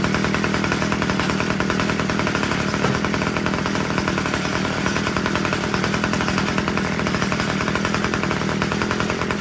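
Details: Homelite two-stroke weed eater after richening the carburetor low-end screw: loud, even buzz holding steady without bogging; it had been too lean and running hot, now runs cleanly.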